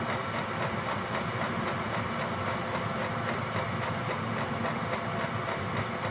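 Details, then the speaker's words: Gearlasso 8kW 12V/24V Chinese diesel heater in manual gear mode, warm, turned down to P1: steady fan roar with soft rapid pump ticking about three to four per second, slowing very gradually; normal low-output running. "Now you can hear it slowing down a little bit. The pump's slowing down. It's all very gradual."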